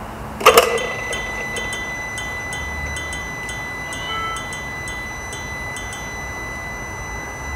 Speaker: so if you listen to the bulb when you turn the ignition on you can hear it's almost ticking like a watch listen to this